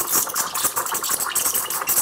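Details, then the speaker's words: Espresso machine (CRM3605) steam wand tested in water with the nozzle tip just at the surface: a steady hiss with irregular crackling chirps as air is drawn in, the normal air-intake sound and correct position for stretching milk. "치직 치직 치직치직 하는 소리가 나죠 공기 들어가는 소리가납니다"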